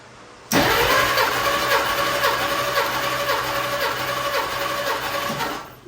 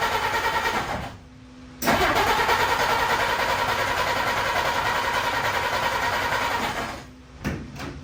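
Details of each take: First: 1952 Dodge Wayfarer cranking during a compression test: smooth, even cranking at nearly four beats a second with no uneven or lazy strokes; readings about 140–150 psi, consistent, healthy balanced compression. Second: 1952 Dodge Wayfarer after swapping in a new coil cable: cranks, catches and runs a few seconds with an uneven beat, then dies; plug wires out of firing order, owner also suspects spark or points.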